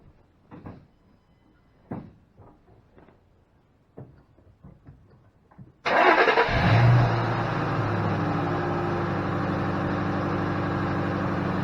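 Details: 2005 Ford Mustang GT, no-start after driving to work, codes cleared (P1000): a few quiet clicks, engine catches, flares briefly and settles to a steady, even idle; starts and runs normally.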